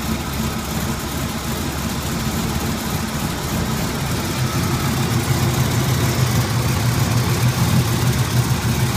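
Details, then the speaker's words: 1981 Turbo Trans Am on cold start: deep, uneven idle loping and stumbling about three times a second, car visibly jumping, running really rough. "The whole car is actually jumping, so it's hard to see it. It's really running rough."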